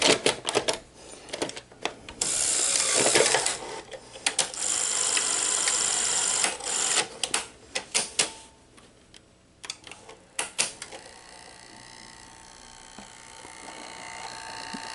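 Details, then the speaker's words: Sony SL-HF900 Betamax after repair, reassembled: scattered mechanism clicks and clunks settling into a quiet even whir, tape transport loading and running normally with no tape spilling out. "i think we fixed it yep we fixed it as you can see there's no more tape spilling out we fixed it guys"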